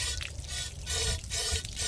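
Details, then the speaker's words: 1990 VIP Vision boat engine running, pump rotation confirmed and hose checked with compressed air: strong gushing water with steady surges, good cooling water flow, normal. "good flow. Sounds like it."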